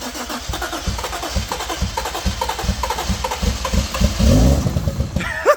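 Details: Toyota Supra first start attempt after about ten years sitting, little fuel in tank, not in gear: steady starter cranking, about three compressions per second, no firing; suspected timing, not confirmed, leak noticed.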